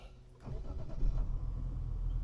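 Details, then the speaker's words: 2024 Mazda CX-60 Takumi, 3.3L turbo inline-6: the starter churns unevenly for about a second before the engine stumbles into a low, steady idle. A hesitant start that the owner says happens often in the mornings. "you should hear it in the morning did you hear that you should hear how many times it does that in the morning You' swear you put in the key but we'll talk about that in the main review"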